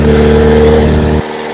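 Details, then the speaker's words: 1999 Mazda B2500 with junkyard-restored 1999 Ford Ranger 2.5L engine, first real test drive after clutch bleeding, accelerating on the road (about 55 mentioned); short strong rev climbing smoothly then dropping off, pulls cleanly, sounds more powerful than it is; normal acceleration. "sounds pretty good it sounds way more powerful than it is"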